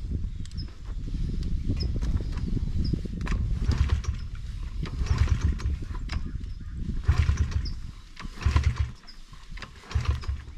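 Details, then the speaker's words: Brand new Honda 50cc motorbike with fuel on and choke on, possibly flooded after repeated attempts: a low chuffing turnover comes in uneven bursts and fades without catching. Cranking without starting; a throttle-use misunderstanding is suspected. "I don't know sorry yeah fuel's on chokes on that's weird and you just you put gas in it yeah"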